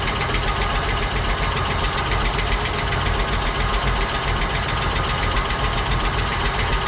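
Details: 1959 Cadillac V8 project car, unstarted for 11 years, run on a fitted fuel supply after cleaning points and checking plugs: rough idle with a loose, uneven tapping about three to four times a second; noisy lifters or sticking valves suspected.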